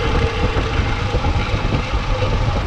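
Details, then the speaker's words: 1978 Ford F100 at idle just after fitting a new power steering pump to replace the old leaking one: steady low rumble with no pump whine; far quieter than the old pump. "power steering's already making way less noise than it was that other one was in no good shape"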